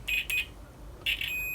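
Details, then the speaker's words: Warco WM250V lathe rewiring, multimeter earth continuity check at the plug after remaking the main power supply connection: shrill beeps, two quick chirps then steady tone; earth continuity present. "right so before we go too much further we'll just check we've got Earth continuity and I've messed anything up so I've got Earth there on the plug okay"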